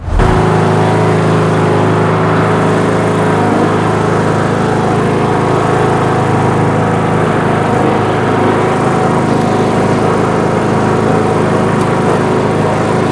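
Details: Craftsman LT2000 riding mower, 19.5 HP Briggs & Stratton 31-series 500cc single (31P677), driven after head gasket replacement: steady, even single-cylinder drone holding speed, no misses, knocks or surging; running healthy.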